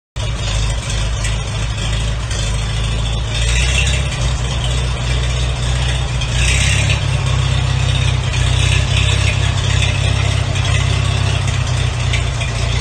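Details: 1942 Farmall H tractor, first start after rebuild with donated magneto; slow, even low chuff at steady beat, no knocks or misses; idles smooth and healthy, though transmission still has an issue.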